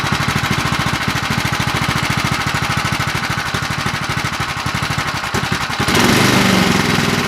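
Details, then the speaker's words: Predator 212 Hemi small engine, full build with a 255 grind cam and aluminum flywheel: a fast, somewhat uneven chugging beat that picks up near the end. The lope comes from the performance cam, not a fault. "sounds like you drove a car with that sounds pretty good yeah it does you could definitely tell it's got a cam in it"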